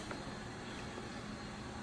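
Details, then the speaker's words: Old Sebastian lathe motor, unknown condition, test-run on three-phase power from a phase converter via a makeshift extension cord; faint steady hum, phase converter running smoothly in background, no knocks or surges. "So that's one way. All right, we actually have both directions operating."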